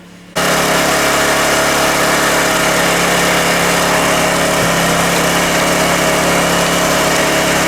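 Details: Honda generator (E300/EX500/EX800) small engine catches and settles into a steady, even buzz with constant pitch and no hunting or misfire, after swapping in the old spark plug during coil pack testing; healthy running.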